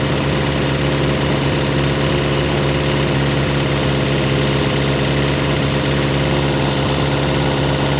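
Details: Ferrari 308 GTS fully rebuilt V8 after first start in about four years, warming the heads to heat the head gaskets: steady even idle with firm low hum, no misses or knocks. Normal warm-up idle.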